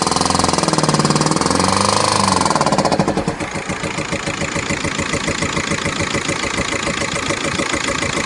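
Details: VW Golf 5 engine, cold or hot alike: after a rougher start a quick steady metallic knocking rides over the idle, keeping pace with it, disappearing after 2–3 minutes; owner unsure of cause; engine knocking at idle.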